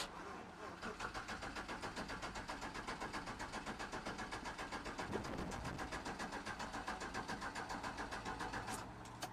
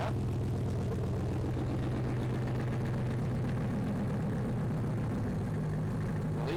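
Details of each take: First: 5.3 V8 swapped OBS truck with new fuel sending unit, pump triggered by ECM, power wire suspect, low fuel in tank: even cranking about four beats a second, no firing; crank no start, fuel pump suspected not running. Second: 5.3 V8 swapped OBS truck after hardwiring fuel pump power and ground on relay, cold start: low steady V8 rumble, no stumbling or misfire, owner hears an unidentified small rattly knock; normal running.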